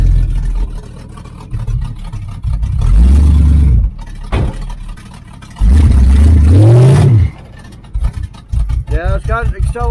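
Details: 1980 Camaro Z28 V8 with new knock-off Holley 4-barrel carburetor, idle just adjusted down, timing not yet adjusted: two deep blips climb cleanly and fall back to a lumpy idle; crisp throttle response, engine pulls freely.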